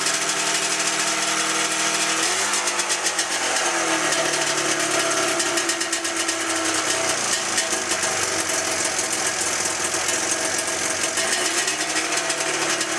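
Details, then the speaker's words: 1997 Ski-Doo MX-Z 440 fan-cooled two-stroke, about 12,000 km, top end redone with good compression: rough, stumbling, lopsided idle, one cylinder cutting out; it idled on both only after squirting fuel into the mag carb; carbs swapped and ruled out, cause unknown. "So as you saw, the engine wouldn't idle properly on both cylinders until I put a little squirt of gas in the mag carb."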